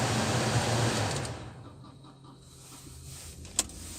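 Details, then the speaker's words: Kia Rio cabin heater blower running after the whistle fix: even rushing air with a soft steady hiss, one click and no whistle; the cabin filter is blamed for the whistle. "Сейчас заведем, проверим. Включаем обдув. Все. Свиста нету."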